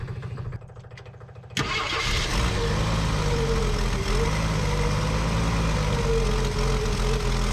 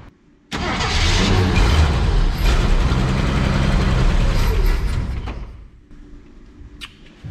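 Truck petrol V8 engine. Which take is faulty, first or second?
first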